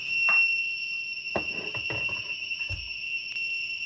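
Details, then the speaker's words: Zosi CCTV recorder at power-on, no cameras connected: steady high-pitched buzzing that never stops, red power light on, no boot and no VGA output; blown capacitor, 12 V supply checked good. "let's just switch the power on you get this buzzing noise [Music] red light comes on there power lights you just get a buzzing noise it doesn't do anything else"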